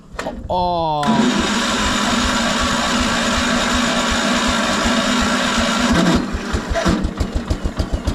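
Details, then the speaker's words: 1975 PowerKing tractor, first start after 2 years, choke out, a little throttle, clutch in: cranks and catches, runs fast and busy, then drops to a slow, uneven chuff; owner suspects moisture and flooding, cause unconfirmed; rough running after storage. "it hasn't run in a long time I know it has got a lot of moisture in there"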